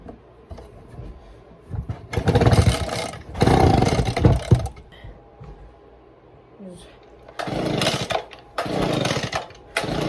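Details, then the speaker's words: Echo PB-200 pull-start engine, tested after its carburetor was cleaned and the carburetor and gas tank refitted with fresh gas: several pulls each give a brief ragged sputter that dies at once. It cranks but won't start; fuel seems to reach the motor, and the owner suspects the carburetor. "Man, I don't know. It's ain't even trying. I don't know. I mean, it's not like that cleaning I did was going to suddenly make the motor run, but I am stuck."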